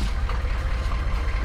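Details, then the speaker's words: Chevrolet Blazer with a rare 6.5 L V8 diesel (mechanical injection pump), idling unevenly with a lumpy, irregular tractor-like clatter. It started after the valve cover was touched, and combustion is suspected faulty. "It does sound like a tractor. I think this engine shouldn't work like this."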